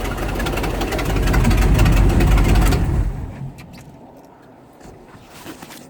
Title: Exhaust leak 2